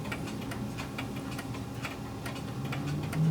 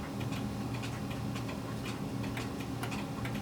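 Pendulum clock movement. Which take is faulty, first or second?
first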